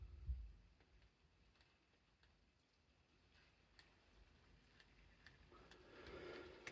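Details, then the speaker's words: Shimano fishing reel after service, one bearing restored and lower secondary-gear bearing replaced, damaged helical idler gear tooth the knock's cause: quiet, even light ticking as handle turns, knock gone. Normal reel operation. "Чуєте? Так, стуку вже більше немає."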